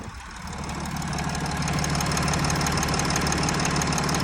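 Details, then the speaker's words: Audi Q7 at idle: silent at about 500 rpm, but with climate control on the idle rises to 950 and a regular knock of about three per second appears; it goes away when the climate is off and the engine is revved, and the cause is unknown. "Включаем климат, обороты поднимаются на 950. Появляется стук."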